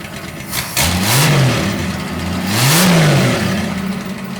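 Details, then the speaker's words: 1961 Ford Falcon just fitted with a turbo, no turbo oil line yet: engine catches, revs up twice and drops to a slightly uneven, lumpy idle; running better but still a slight miss at idle. "Um, and it's obviously running a lot better. Still sounds like it has a slight miss at idle, but it did rev."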